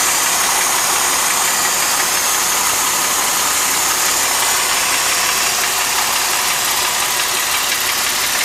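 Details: 2005 Mercedes SLK350 M272 V6 at idle: fast, fairly even tapping about three a second over a hissy background; knock present since 80,000 miles, owner suspects a scored cylinder wall; engine later failed at about 130,000 miles and was replaced.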